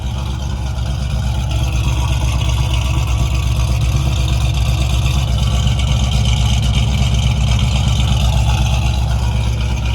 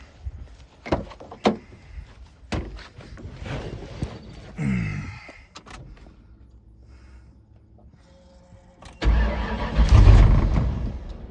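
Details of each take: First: 1995 Ford Mustang 302 automatic, original engine before swap, reportedly pushing oil out of dipstick tube; deep steady V8 burble about two pulses a second, even with no knocks or misses, runs and sounds good. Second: 1995/96 Ford Mustang Cobra 302 automatic, freshly swapped engine with very radical cam, first start after retarding timing slightly; catches, stumbles and sags, throttle keeps it alive; O2 sensors eliminated, wiring harness issues, rough running and stalling, cause unconfirmed.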